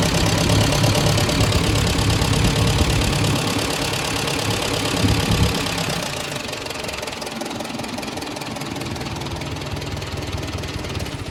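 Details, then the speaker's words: Ford Jubilee tractor after a valve adjustment to 15 thousandths, meant to cure rough running: steady light top-end tapping about four per second over a low idle; the valve train is louder, the rough running is gone, and the owner may recheck the clearances. "Yeah, I don't know if it sounded like that before or not, but I think it's definitely a louder noise coming from the valve train, so I might research that a little bit and then maybe recheck everything, make sure it's still in the 15,000 that I set it to."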